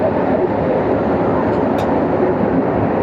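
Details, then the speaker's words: Midea 30-ton package AC unit (two 15-ton R-410A systems), after refitting the repaired condenser fan motor and rewiring the compressor 2 contactor: a smooth, constant rush of air over a steady hum; condenser fan and compressor run normally. "System start हो गया और हमारी ये मोटर भी स्टार्ट हो गई है, ठीक है।"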